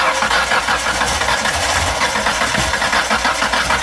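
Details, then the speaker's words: 1994 Ford Ranger, first start after head checked by machine shop: rough, uneven chuffing about three beats a second, struggling to run; misfire from bad valves. "Yep, hold on. Whoever guessed that the valves were bad, right on."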